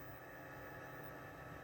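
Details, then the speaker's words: Servo motor driven by a Lenze EVS-932X-ES servo frequency converter under speed-control test after repair; faint steady hum with soft even tone, no knocks or rubbing; motor and converter working fine. "You can already hear the motor [snorts] is working fine. This is something what we are looking for."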